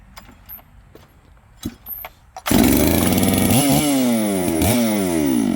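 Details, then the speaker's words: Returned chainsaw, reported as a no-start, restarted again to show it fires right up. A few rattly pull-starts, then catches and runs strong, revving up and down cleanly with steady buzz. Normal running. "But anyway, two of these saws fire right up here. Let's fire it up again."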